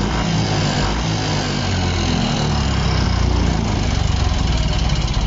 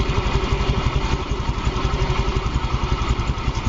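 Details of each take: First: Yamaha Fino 125 scooter with a very rough engine that won't hold idle and stalls. Loud, coarse clatter over the engine note that grows louder as rpm rises. No smoke. Traced to incorrect, too-loose valve clearance; no engine teardown needed. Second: Yamaha Fino 125 scooter after valve clearance adjustment, exhaust valve had been too tight: even, steady idle with no ticking, rattle or hunting; engine smooth and quiet, holds idle when throttle released.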